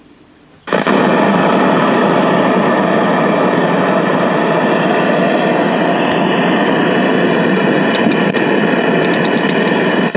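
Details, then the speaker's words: 1968 RCA Victor black-and-white portable tube TV KCS160, a remote-control set, with the remote muting wire already terminated. A harsh, steady hiss and crackle from the speaker. Volume control first suspected; found to be a broken ground-wire solder joint lifted off the chassis. "Well, I think I might have got lucky here. Might have. It is just a broken solder joint. The ground wire on the helicopter lifted off from the chassis."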